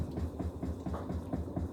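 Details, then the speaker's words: Kenmore 100 series HE washer after new suspension rods, during spin: quick regular tapping about four times a second over the drum rumble. Owner suspects the tub is tapping metal on the right side but is not sure. "i mean it sounds like it's tapping the metal over here to the right but i'm not exactly fully sure without taking the lid up"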